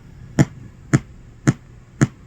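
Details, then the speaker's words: Even, sharp speaker pops about every half second with no other audio on a GT FORE game board, though the sound test passed. The regulator reads 13 V/5 V. The oscillator, Creative chip, crystal audio codec and op amp were already replaced. A capacitor is dragging down the 3.6 V supply. "Well, I'm still getting that pop, poof, poof, poof, and no audio."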